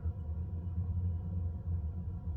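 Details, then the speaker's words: Second-hand 2002 Eberspächer D2 Airtronic diesel heater mounted under a campervan seat, cabin at 12°, drawing about 8–9 amps on startup: low even rumble with soft pump ticking, louder as expected at startup; normal start. "the moment I can hear the pump but then it's it's on its startup so you expect the pump to be making more noise at this stage"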